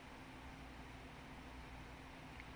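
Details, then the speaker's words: Macintosh IIci power supply after replacing a transistor, diodes and a capacitor: even, steady fan whoosh with faint low hum; the earlier hissing, screaming digital hashing noise from the supply is gone, running clean. "I mean, the fan's noisy, I can hear that, but I was hearing like digital hashing noise coming from this power supply. Well, that went away ever since I replaced those."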